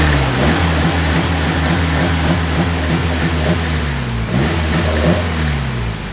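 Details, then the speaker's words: Petrol engine on the car's first start, which runs great; the long block will be reused. Clean idle rising smoothly into free revs and settling back, even with no knocks or ticks: normal idle and revving. "there it is first track runs great luckily we're literally gonna only be using the long block up this thing you know alright sounds nice listen to it"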